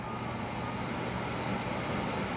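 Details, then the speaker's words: Panasonic WhisperLine FV-30NLF1 remote-mount in-line fan, dead motor replaced with new one, bench-tested plugged into surge protector: steady, even rush of air over low motor hum, no rattle, scrape or squeal; working, blowing great air. "I've got a working fan, so I'm very, very happy. And it's blowing great amounts of air."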